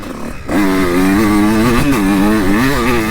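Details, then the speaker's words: 2002 Honda CR125 two-stroke on stock jetting, before port work and carb jetting: buzz rises then sags and wavers under throttle instead of snapping into the powerband; bogging with slow throttle response, cause not yet confirmed. "what the hell she's just bogging out and uh now we'll see how she runs after let's do a little sight lap and then uh we'll throw in a couple laps yeah I hear that bog"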